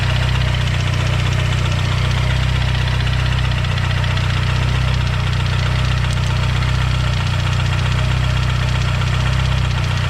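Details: Built (upgraded internals) Mazdaspeed 6 engine failed: heavy, deep knocking about four times a second over a rough idle, coming from low in the block; major rod knock.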